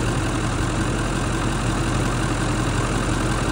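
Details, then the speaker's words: Ford 7.3 Power Stroke turbo diesel, stock, in a 1999 or 2000 camper van with 131K miles, at idle with hood open: steady, even clatter and deep rumble, no knocks or misses; runs normally. "so like I said bone stock turbo diesel engine power stroke um and it's in great shape I mean it runs great sounds like a power stroke should sound and"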